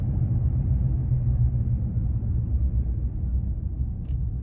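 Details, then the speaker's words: 2015 Nissan Frontier before repair, driving: a deep pulsing hum-rumble that wavers as the truck rolls to a stop, slight now but prominent at higher speeds and confirmed by slight steering turns. Worn wheel bearing, replaced. "I was out driving last weekend at a higher speeds and it was really prominent and of course I did the same thing the slight turning of the wheel and and I could definitely tell it was a wheel bearing"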